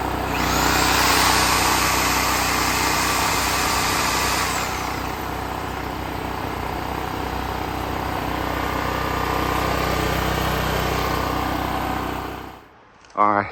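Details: Extreme Contractor Series 6,500 W (8,500 W surge) gas generator, almost 20 years old, on a replacement carburetor that doesn't fit properly; steady idle beating near four per second, then cut off with a clatter. Idles only on hand-set choke.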